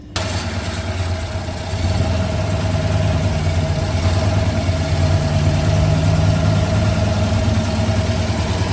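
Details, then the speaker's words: 1966 Ford Fairlane idling at lower rpm after new coil fitted and a spark plug reinstalled; lumpy uneven idle, still missing and shaking though less, running less rich; misfire at idle. "That's lower RPM, it's not missing as much. Still shaking. Not running as rich."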